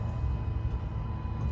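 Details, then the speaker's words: 2005 Chrysler 300C just after replacing the main fuel pump and sending unit: faint steady hum from the rear at key-on (not cranking), one of three primes; the pump has power and primes normally. "So, you should hear like a little humming or something like that. And that means it's on and it's prime priming, it has power, etc. etc."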